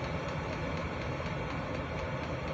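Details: Hcalory 8k all-in-one diesel heater, first start at night, powered from a Baseus 420 W power station via a 12 V 30 A supply, glow plug just off: steady low rumble and even roar, no misfire; burning cleanly at full output.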